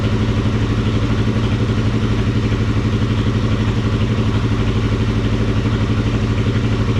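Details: Kawasaki KFX400 ATV single-cylinder engine after crankcase replacement and reinstallation, idling with a steady, even thump about three beats a second, no knocks or misses; healthy motor, though carburetor still leaks gas and water pump antifreeze drain was found loose.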